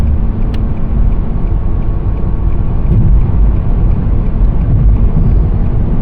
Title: 2017 Nissan Sentra SV humming noise while driving